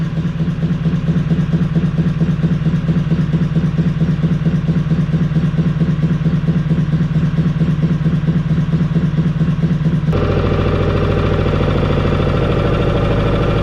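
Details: Inboard motor in the traditional sailing trailer boat Moonlight: low, even thump at a slow steady idle of about two beats a second, with no clatter or misses; normal idle.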